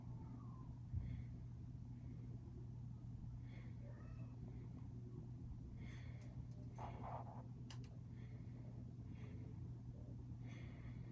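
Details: Westinghouse Art Metro ceiling fan motor giving a steady low electrical hum, straining on a bad run capacitor.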